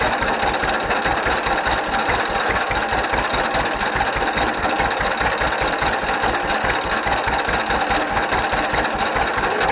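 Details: 1931 John Deere GP tractor running after its carburetor was rebuilt: slow, regular two-cylinder popping at an even idle with no knocks, misses or stumbles; healthy overall, smoking slightly.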